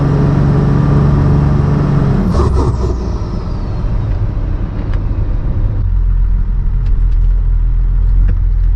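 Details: 12-valve Cummins diesel truck with compound turbos, warmed up, after boost leaks sealed: deep steady drone under load then easing off, no hiss or whoosh of escaping air; pulls healthy.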